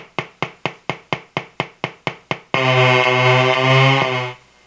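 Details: Colour-changing LED bulb on 4.5–6 V DC batteries: evenly spaced clicks about two per second, then steady buzzing hum that cuts off; interference noise from the colour-cycling LED driver.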